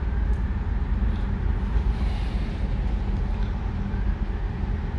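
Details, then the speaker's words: Chevrolet Lacetti idling after spark plug wire and cap checked: a low, even rumble with no skips, revs not fluctuating, no misfire, running fine. "все равно работает ничего обороты не плавают это хорошо"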